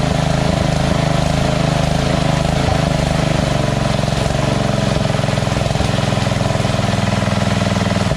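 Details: Engine after the surging carb was replaced with a Chinese-copy Nikki 590399 on a drilled-out O-ring intake manifold, backward curved fuel nozzle: low, steady idle at lowest idle setting, even firing beat, no hunting; surge cured.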